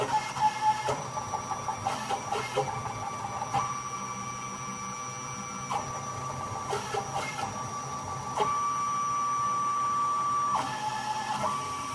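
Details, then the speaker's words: Small CNC router modified with lead screws, jogging at about 800 mm/min (judged excellent; 1,800 also tried): short bursts of clean stepper whine changing pitch with each move, with no stalls or skipped steps. Axes run well. "é uma velocidade de virar 800 milímetros por minuto que eu já acho a velocidade de excelente"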